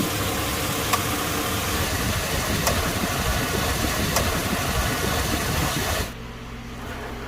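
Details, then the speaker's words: 2002 GMC Sierra idling after 134a AC recharge, relay reinstalled correctly: steady idle with light clicks about every second, then quieter; AC compressor clutch engaged and running normally. "What we're going to do is we're going to put our relay back in the correct way. And I just heard the clutch turn on."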